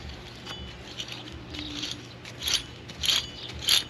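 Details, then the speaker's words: 2004 Saturn VUE AWD rear wheel hub assembly spun by hand after removal: gritty rasping bursts instead of a smooth roll, unlike the new hub; worn wheel bearing that had been groaning. "that's not a good sound so it's pretty much crap and when you compare it to the new one that we have"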